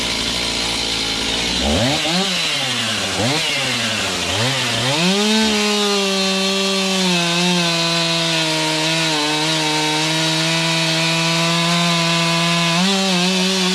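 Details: Serviced Stihl MS291 chainsaw cutting a roughly 12-inch log; a few sharp revs, then a strong, even high-pitched scream holds steady through the cut. Healthy under load; high/low carb adjustment may be tweaked later.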